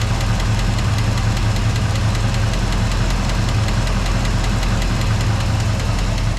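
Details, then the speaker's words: 1979 Jeep Wagoneer AMC 360 V8 (Edelbrock intake, Holley Brawler carb) idling while warming toward 180°: deep steady rumble with a faint quick tap; suspected ticking lifter, oil partly replaced with transmission fluid, not confirmed. "This thing sounds so good. It cranks so well. You can hear that little tap over here."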